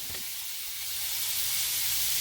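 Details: 1/2-inch copper 90-degree elbow spraying water at 110 PSI because the pressure reducing valve had failed: steady loud hiss with no pulsing, sounding like a river, ground soaked.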